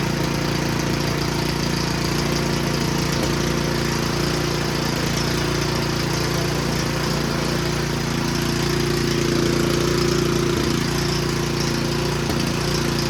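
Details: Snowblower small engine runs rough, pulsing unevenly about 2.5 beats per second with a wavering note; cause not yet diagnosed, later seen puking thin oil from the PCV breather, owner wonders if overfilled.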